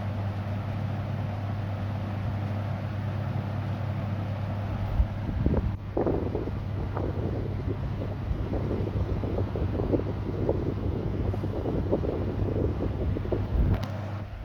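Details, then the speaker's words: 1960s Zero 20-inch box fan with metal blades, restored from its original worn state, running on high (2-speed push-button model): deep, even droning of air and metal blades with no knocking or rattling; normal running. "Love the deep droning sound of these metal blades."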